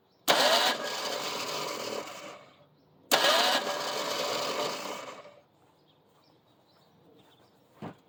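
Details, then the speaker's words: Long-neglected 1975 Ford Granada with uneven cylinder compression, cranked with brake clean as fuel: two short, high whirring bursts without the engine turning over. The starter spins freely without engaging the flexplate/flywheel. "apparently we don't want to engage the flex plate anymore, flywheel, whatever."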